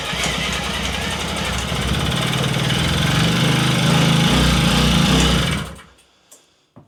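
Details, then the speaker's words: Puch Maxi moped with original spark plug, started on choke after a couple of tickles: the small two-stroke buzzes unevenly for a few seconds, then dies with a couple of pops; it won't keep running. "maybe not it would have been nice to just get on it and it go"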